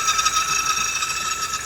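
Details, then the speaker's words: VW CC 2.0 turbo with a strange noise from the engine bay: a steady, high-pitched buzzing chatter with a fast flutter from the electric pump, caused by a faulty pump fuse, though a failing fuel pump was suspected first. "فيلكس ويجن سي سي 2.0 تيربو صوت في الماكينه والسبب فيوز خلينا نشغل السياره ونسمع الصوت"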